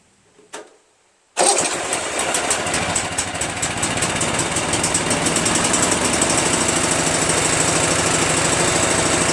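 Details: Craftsman (Yard Machines) chipper shredder flathead engine with repaired starter, engine and air filter covers refitted: catches on the first try after a second of quiet, then settles into a fast, even run; no starting problem now.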